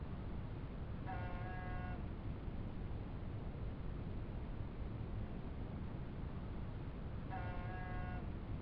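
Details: 1987 Honda Goldwing GL1200 Interstate: short reedy electrical-sounding buzz repeating about every six seconds over steady hiss, intermittent, began after first ride of the year; source undetermined.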